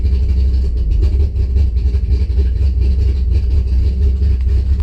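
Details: Engine cranks healthy but fails to start, then idles deep, wavering and stumbling; spark to coil just restored by reworking wiring, fuel pressure 50 after prime (over 60 during), running really rich and sneezing fuel, rough idle likely fueling-related.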